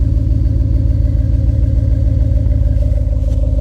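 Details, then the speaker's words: 1999 Ford Taurus SHO V8, just revived after not running, with aftermarket exhaust (maybe Flowmaster or Magnaflow): deep, even V8 rumble at steady idle, loud and throaty, firing smooth and regular with no knocks; engine sounds healthy. "Oh, that sounds pretty good. That sounds pretty good. Listen to this throaty exhaust."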